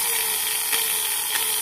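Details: Boss variable-speed hand grinder after repair of worn carbon brushes and a faulty switch that cut out intermittently: high-pitched steady whine at even level, no dropouts or surging; running normally.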